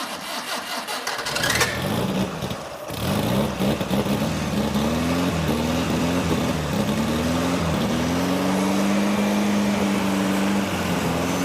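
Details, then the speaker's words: Circa-1965 VW dune buggy, 1200 four-cylinder boxer, four-speed transaxle, sat for years: catches after brief crank then settles into steady, even idle with oil pressure, no knocks or misses; runs healthy. "have oil pressure yeah tachometer work yeah sounds like aw it sounds like it runs perfectly wow"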